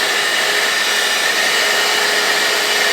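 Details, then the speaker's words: Small handheld vacuum: steady high-pitched motor whir with airy hiss, faint tone near 2 kHz, no load change; weak suction, owner suspects plugged filter. "well, thought it had a little power, but don't seem like it's doing anything."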